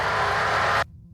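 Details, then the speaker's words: UTV intercom after its Vox (voice-activated) setting was turned up while driving: engine roar through the headset cuts off abruptly to near silence within a second. The mic now closes properly and opens only on speech. "There, you can hear it shutting off every time, and it only opens when I speak."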